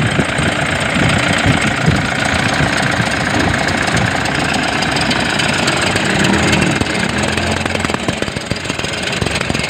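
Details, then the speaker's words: Toyota Innova with battery warning light on, running: loud uneven rattling chatter from front of engine bay; suspected alternator bearing or overrunning clutch pulley. "Ayan sobrang ingay ng ano niya ah tind natin kung ano ang maingay diyan bearing o yung clut p ng alternator"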